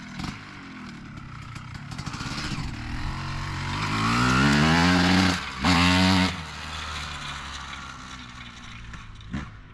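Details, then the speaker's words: 2003 Honda CR250R two-stroke, low fuel: revs climb strongly through the midrange, then stall out and fall back before the top. Top-end bog; owner suspects power valve adjustment or the engine loaded up. "Runs pretty good other than doesn't want to be on the top end at all."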